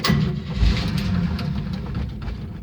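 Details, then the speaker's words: 1971 Chevy C10 truck, cold start after sitting unused a long while, cheap year-old battery charged two days: rough, uneven, labored churning as the starter turns it over, almost catching but not firing; extended cranking, hard start. "it's been quite a while that's turning over pretty good charged it for two days"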